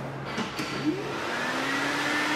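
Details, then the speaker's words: Electric radiator fan newly wired through a fused Bosch relay, switched on with the key in the ignition position. It spins up to a steady, airy hum with no rattle or scrape: the fan is running properly and the relay is wired correctly. "when we put the key into the ignition position the fan should turn on when that happens we know we've wired the relay correctly"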